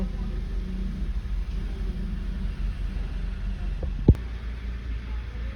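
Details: Mitsubishi Pajero diesel at final check after service, tune-up, engine oil and fuel filter change: steady, even low diesel rumble at idle with no knocks, misses or rattles; healthy normal idle.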